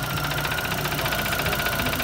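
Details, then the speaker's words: Mazda 3 engine with bad rod knock, to be replaced by a 2.5 swap, idling in driveway; rapid, even knocking over a rough idle repeating at engine speed, deep bottom-end knock; intake manifold was hoped as the cause but not found. "so it is dead as you can hear"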